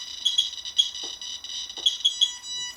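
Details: Radiation meter comparison (QSAFE QSF-104, RADEX, Smart Geiger) as source re-exposed after background settled near 0.2: shrill high chirps, roughly three a second in uneven bursts over quiet background; QSAFE alarming first as dose rises toward 1.17 µSv.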